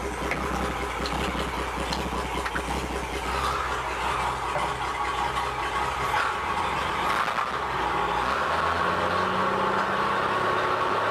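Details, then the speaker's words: 1958 Chevy Apache barn-find truck, sat about 20 years, put in gear; engine idles fairly evenly, then revs climb steadily but the truck won't pull; owner suspects it needs a clutch. "I'm going try to put this thing in gear and see what it does now [Applause] [Applause] I think we just need a clutch I don't know"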